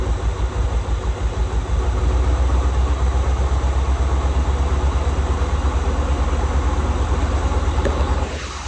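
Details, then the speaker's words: 1984 Corvette with low-hp 350 V8, sitting over 10 years, revived and idling lumpy and loping with an occasional stumble. Still a slight miss; it needs a tune-up and a thermostat. "She's still got a little miss in her. She still needs a tune-up."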